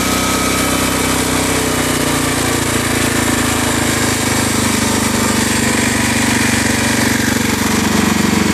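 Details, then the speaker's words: Generac 7000EXL generator converted to tri-fuel, running on propane from a 20 lb cylinder: note drifts slightly then holds a steady, even hum with no hunting; idle set correctly, load block still needs adjustment. "idle right where we need it to be now I do have to do quite a bit of ajust on this load block here"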